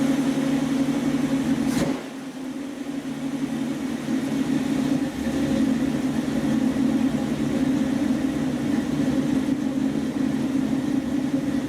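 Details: 1976 Dodge Dart V8 at warm idle on a freshly rebuilt Edelbrock carburetor (replacing a 780 vacuum-secondary Holley), mixture screws adjusted; steady tick-over with slight lumpy rhythm from a mild cam; even and healthy.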